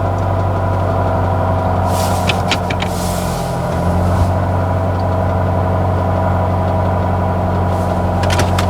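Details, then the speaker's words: B16 Nissan Sentra rallycross car with solid QT link torque mount, recorded from inside the cab at idle: low drone with coarse buzzing throb; mount transfers heavy engine vibration through the metal into the cab. "Yeah, definitely transfers a lot of vibrations all throughout the cab."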